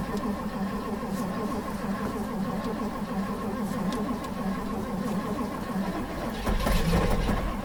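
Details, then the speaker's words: 1958 Edsel Ranger with factory AC, start attempt after a few pedal pumps: the starter turns the engine at an even chug of about four a second, nearly catching near the end but never firing; cranks but won't start. "let's see what happens kind of oh the dome light actually works so there's a good uh okay give it a few pumps turns over"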